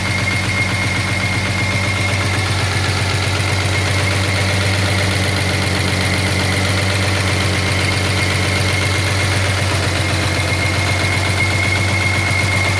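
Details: 1983 Jaguar XJS V12 idling: deep hum with a repeating knock about two to three times a second; owner assumes a dropped valve seat, unconfirmed.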